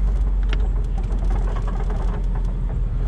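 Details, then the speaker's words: 1970 Dodge Challenger Convertible V8, automatic, dual exhaust, on a test drive with a cool engine: deep engine and road rumble with faint irregular rattles as wind buffets the doors. "you can hear the wind is rattling in the doors that's what that noise is"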